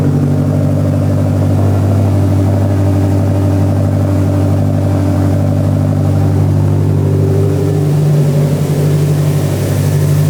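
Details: Built Subaru STI first start after about five months, freshly rewired with ethanol sensor and hybrid speed density, not yet tuned: deep steady boxer burble holds even through light revs with no knocks or ticks; fresh engine idling cleanly.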